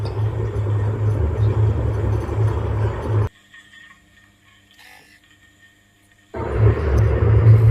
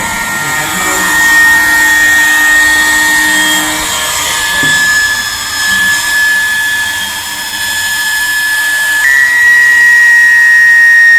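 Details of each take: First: Industrial sewing machine clutch motor after a noisy centre bearing was oiled with machine oil then engine oil: it now runs smoothly with an even low hum and no bearing rattle, drops nearly silent, then runs again. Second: Industrial sewing machine clutch motor: steady high-pitched whine with a hissy, rough edge as it spins, very loud dry bearing noise; fix is opening the cover and oiling the central bearing with engine or machine oil.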